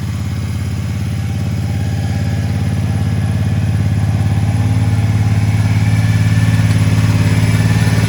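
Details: Triumph Speedmaster twin idling with an even, subdued thump that firms slightly with revs, on used replacement pipes from a crashed bike; much quieter and smoother than the old broken pipes, with no popping; normal idle.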